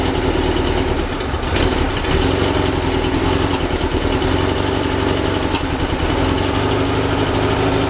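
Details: Rebuilt 1835cc air-cooled VW engine, first start after rebuild, good oil pressure: even, steady idle with a smooth regular beat, no knocks or misses; runs with no real problems.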